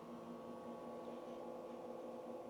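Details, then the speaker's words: Casio XJ-UT310WN short-throw projector with eco mode switched off for full power: a constant, even hum with a steady airy whoosh and no rattles or surges; normal fan hum at full power. "So now it's brighter, but at the same time, I'm sure my mic will pick up on the fan noise as well. On the quiet room, you will hear a constant humming noise."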